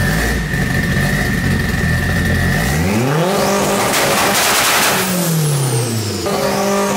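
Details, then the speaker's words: K20-swapped AWD Honda Integra with turbo kit, first start-up before dyno: loud sharp revs climbing and falling cleanly with crackling overrun pops; fresh engine runs fine, healthy revving with exhaust pops. "hey what did i tell you i i told you it's gonna pop out pretty good"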